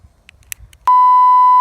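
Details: Sky Viper Fury drone: a few faint clicks, then one steady high beep for about a second, the normal power-on tone after the battery is unplugged and reconnected to re-pair with the controller.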